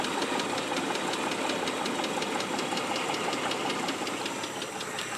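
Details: Mitsubishi 3000GT engine at idle, noise began after under 60 miles of driving: crisp, regular ticking near three per second, light and sharp rather than a deep thud; owner suspects lifter tick or possibly rod knock.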